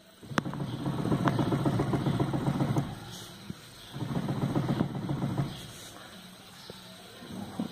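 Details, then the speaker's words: Car with engine off, steering wheel rocked back and forth: bursts of dull clunks about three to four a second, checking whether the noise is the inner tie rod, tie rod end or steering rack. "eu vou mostrar para vocês um barulho no carro que pode ser braço axial caixa de direção ou terminal de direção como o carro desligado você balança o volante e sente esse barulho"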